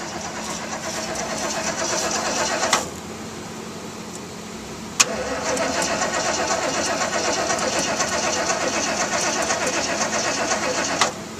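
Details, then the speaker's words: Old truck with known weak battery, jump-boosted from another truck; slow dragging cranking in bursts with pauses, no catch. Cranks but won't start, battery dead. "it's got a once i didn't want to go that battery's dead ain't it"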